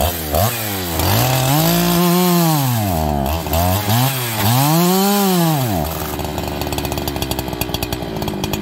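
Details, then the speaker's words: Farmertec 288XP kit chainsaw, first start, decompression valve sticking open against the top cover: revs blip up and sag in lazy swells, then drop to a ragged crackling idle; bogging, suspected bad aftermarket carburetor, fuel starvation. "i think we have another bad aftermarket carburetor"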